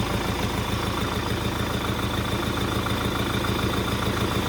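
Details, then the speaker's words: MTZ-82 tractor diesel on first start after fitting a TKR 6 turbocharger, air intake and exhaust not yet finished: steady, even idle with a faint high turbo whistle on top; normal turbocharged idle. "Ну, свистить конечно прикольно з турбінкою і робе зовсім по-іншому."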